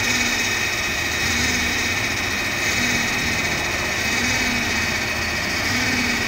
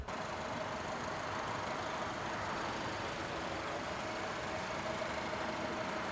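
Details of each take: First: 2009 Subaru Forester, EJ253 2.5L, first start after a remanufactured engine swap: loud, uneven lumpy idle with a steady high whine over it, likely misfiring and throwing many codes; knock sensor suspected. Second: 2009 Subaru Forester with a newly installed remanufactured EJ253 2.5L four-cylinder, run after the swap: a quiet, even idle with a soft steady hum and no ticking, stumble or knock. It runs smoothly while the exhaust burns off residue; still slightly oily underneath.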